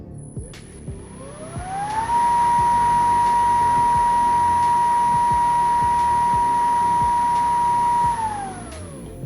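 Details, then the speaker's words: PPA Brutalle 3.0 JetFlex industrial sliding gate motor after repair spins up to a steady, clean hum and coasts down smoothly. This is its normal sound; the earlier noise was cured by replacing only the bearings, not the crown gear. "vocês viram aí o funcionamento do motor. Esse é o barulho normal da máquina. Trocamos somente aí os rolamentos e o problema já foi resolvido, né?"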